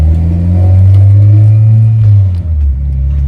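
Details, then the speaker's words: 1999 Mitsubishi Eclipse GS in neutral, while adjusting the throttle cable during an idle air control sensor fix: steady, even low petrol idle, improved but still a little higher than normal. "We'll see. It is idling a lot better. It's a little high. Higher than normal, I should say."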